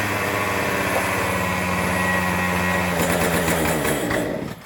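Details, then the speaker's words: Troy-Bilt two-stroke string trimmer rescued from the trash, after oiling the air filter with two-stroke oil, shaft removed: steady, even high-pitched buzz without surging or stumbling, then winds down cleanly; engine runs properly, transmission side still unfixed. "Alright, so there we go, guys. I guess technically it's fixed other than the transmission side of it."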